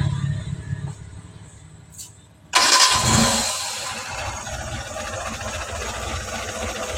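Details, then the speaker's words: T120SS engine first start after overhaul, valves adjusted and timing belt fitted: starter whirs briefly, then catches and settles into an even idle with no knocks or misses; oil pressure confirmed and coolant calm, a healthy start. "Selanjutnya kita coba hidupkan ya, lihat kontrolnya."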